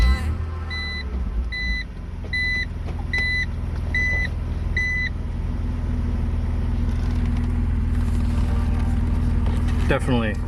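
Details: 2003 BMW Z4 M54 after cleaning a stuck part with brake clean and MAF sensor cleaner to fix rough idle, misfire and lean codes: steady even low idle hum with a few chime beeps, no stumble; idling smoothly.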